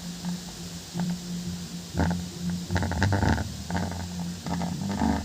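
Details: Home theater 5.1 subwoofer after fix for humming at power-on: capacitor (25V, 1000µF suggested) added on the plus wire to the subwoofer; deep bass thumps in uneven bursts with no strong constant hum drone.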